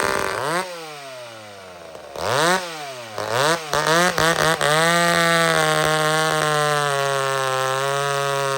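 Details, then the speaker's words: McCulloch Super Pro 70 two-stroke chainsaw after fix, mixture fattened slightly from a possibly lean setting: blips cleanly then holds a steady high-rev scream with no racing, stumble or bog; surging fault traced to pulse line, possibly gasket sealer in it. "okay so the sign the fact that this thing's not racing up and down and doing all kinds of crazy stuff it's a sign that it's fixed we got it it was something to do with the pulse line"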